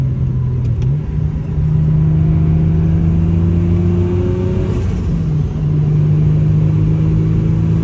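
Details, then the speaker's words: BMW E36 M3 with a new turbo, original blowoff valve still fitted, on a street drive: strong steady engine drone, pitch climbing smoothly under throttle and dropping at the shift, no rattle or squeal; a normal turbocharged acceleration. "there you have it that's what the new turbo sounds like"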